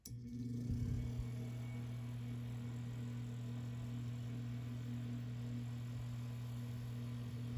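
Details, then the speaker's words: 2005 Lakewood HV-4 4-inch high-velocity fan, 120 V 0.5 A single-speed shaded-pole motor, running on high after repair of a destroyed rear bearing housing: steady hum with pitched tone and faint rubbing buzz; motor bearing misalignment from the imperfect repair. "So as you can hear, it's not super quiet, and that's partially because the repair was semi-successful. It's not perfect, it's not like factory condition, but it runs."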